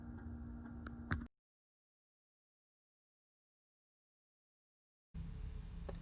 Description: 2021 Winnebago Revel would make this tapping sound when the heat is on.